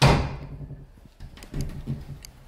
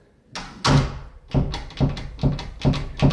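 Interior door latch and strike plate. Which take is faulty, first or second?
second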